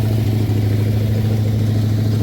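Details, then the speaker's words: Toyota that was jump-started backwards, starting after its fuses were replaced: engine runs steady with a loud, deep, raw exhaust drone far louder than stock; sounds like catalytic converters cut off, cause unconfirmed. "Woo, okay, there it started. Sounds like somebody cut the cats off this thing."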